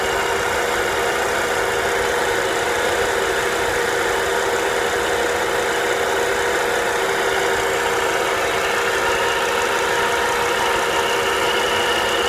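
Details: Volvo V70R idle: steady mid-pitched whir and hum that goes away with the serpentine belt removed; the alternator is suspected, probably a bad bearing, not yet confirmed; owner plans to replace the alternator.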